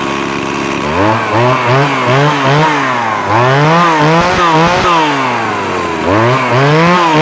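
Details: Two-stroke chainsaw brought in for a starting problem, after new spark plug and cleaned air filter: revs up cleanly and drops back about once a second, crisp throttle response, even running; healthy.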